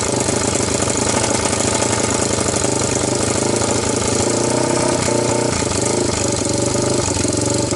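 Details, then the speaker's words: 1998 Honda TRX300EX, previous-owner rebuild, valves loosened, no gas tank, starting on choke: single thumps unevenly at fast idle, stumbling and surging; owner suspects carburetor fuel level wrong, not quite flooding. "so I think my my problem is this carburetor the level is not in a good place it's probably not quite flooding"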